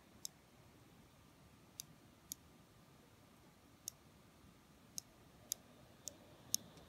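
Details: Intermittent internal clicking, one or two a second in a quiet room, from a 2016 Razer Blade 14 laptop; it occurs when the laptop is tilted and the fan runs. Owner heard buzzing under a heat sink.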